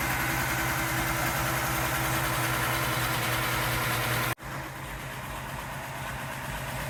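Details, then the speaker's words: Ford F-150 project truck, first start of replacement engine: even idle with faint repeating stumble about three times a second, then a sudden drop; possible miss, not yet diagnosed. "So, it does sound like I might have a miss, but uh hopefully we can diagnose what's going on with that."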